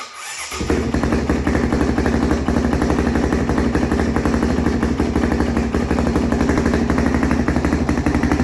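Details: 2005 Honda CRF450X sat 10 years, low compression suspected from valves: catches right away into a steady thumping idle; not smoking, good throttle response, runs clean.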